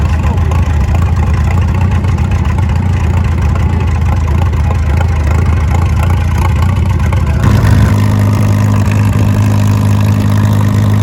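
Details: Farmall M tractor that was misfiring and smoky, run after refilling the fuel bowl: a loud low chug with an uneven, stumbling beat that shifts as the throttle rises. It still misses and runs rough, maybe slightly better; checking the points gap was considered.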